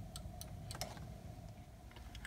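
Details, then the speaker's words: Mercedes R170 SLK convertible top microswitch pressed with a screwdriver: several sharp light clicks over quiet room hum; the switch, second most likely to fail in the roof system, is working. "this is the second most likely switch to fail in the hole as okay rooftop system and again it's easily checked by seeing whether it clicks put a screwdriver in here and you will likely hear it clicking"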